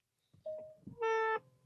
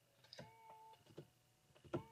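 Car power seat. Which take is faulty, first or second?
first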